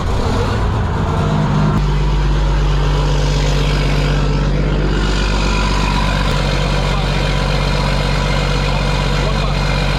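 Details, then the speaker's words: Cold start of a factory Detroit diesel (standard bearings, crank not cut, fairly new manifold) in a glider kit truck inspected for purchase; catches after brief crank, settles to steady even low idle, no knocks or misses: healthy. "Let's start it first. Look at the how it. Let's look at the cold start."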